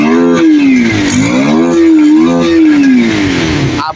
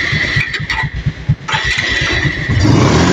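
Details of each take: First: Kawasaki Rouser 180 motorcycle after a light tune; before, it stalled when revved and was hard to start. It now starts easily and picks up cleanly through several blips, with the pitch rising and falling smoothly and no stumble or cut-out. Normal revving. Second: Kawasaki Rouser 180 with a 28 NB carburettor, revved from idle: uneven stumbling low chuffs that sag and stutter before the revs pick up, hard to start and dies when revved suddenly; bogging from restricted carburettor intake.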